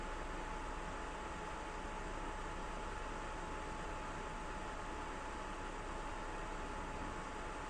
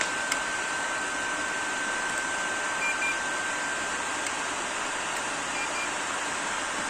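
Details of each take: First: PS4 Pro first revision after replacing year-old MX-4 paste with Honeywell PTM7950 phase-change thermal pad: soft, steady airy hush, fan slightly ramping up but still very quiet, no rattles or whine. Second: First-revision PS4 Pro running MX-4 thermal paste applied a year earlier, lid left open, a few minutes after a cold start with a game loaded: steady airy rush with a thin constant tone; loud cooling fan spinning up.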